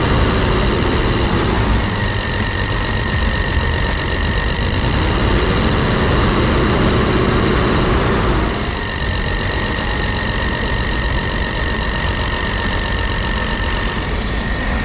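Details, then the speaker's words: 1999 Chevy Astro AWD van with a recurring ignition no-start, after cleaning the distributor cap: steady, even idle with no misfire or stumble. Running normally. "all right boys that was it I cleaned the distributor cap and she runs like a peach now"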